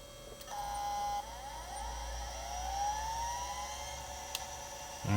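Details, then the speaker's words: Chaplet Halikan LA-30A 1980s 286 laptop (2 MB RAM), hard drive detected as Type 17: steady thin whine with gliding seek sweeps as the hard drive tries to work, but no loading follows; drive seeking without booting, cause unconfirmed. "right, hard drive is trying to do stuff."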